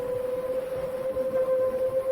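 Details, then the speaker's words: Seven-inch FPV quad at about 50% throttle: clear high whistle over motor drone coming in at certain RPM ranges, cutting off abruptly; suspected prop or frame resonance, not a loose or upside-down prop; RPM-dependent whistle. "and what I'm specifically noticing is that whistling sound comes in at certain RPM ranges"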